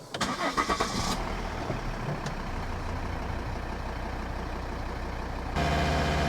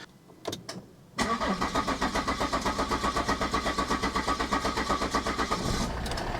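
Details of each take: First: 2012 Volvo XC60 D5 AWD diesel, another restart after fuel filter change: catches and holds steady idle with a faint RPM waver the owner attributes to a little air still in the fuel system; he is happy with it. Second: 2012 Volvo XC60 D5 AWD diesel, first start just after fuel, oil and air filter change: short crank, catches, held at high idle with a pulsing beat; owner expects possible lumpy running from air in the fuel system needing bleeding.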